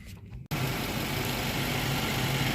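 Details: 2015 Infiniti QX80 5.6 V8 after radiator and thermostat replacement and coolant refill: starts abruptly and holds a smooth, steady idle with no misfire, knock or whine; runs healthy.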